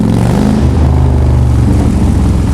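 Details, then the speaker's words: Motorcycle after mechanic found and fixed the cause of many problems: deep strong V-twin rumble climbing cleanly under throttle with no knocks or misses; engine now running healthy. "Oh, that sound will never get old, ever."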